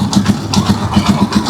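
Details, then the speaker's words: Rusi Chariot trike single-cylinder engine, with hard morning starting blamed on the carburetor on newer units: a crisp, regular thump about seven times a second with no misses or knocks. Normal idle. "Okay, yan, tahimik na yung ating engine."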